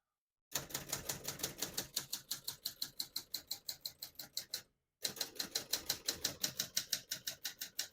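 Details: Serviced 1972 Adler J2 portable typewriter typing at single line spacing: crisp even key strikes about three per second, bright margin bell near line end; no skipped or sticking keys, working normally.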